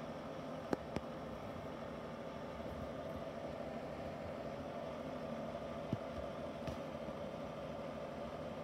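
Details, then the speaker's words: Epelair kitchen extractor fan, single speed, no LED light, running: loud steady whooshing rush with a constant hum underneath and no speed change; noisy extractor fan. "It was quite loud. Very noisy, as you can hear."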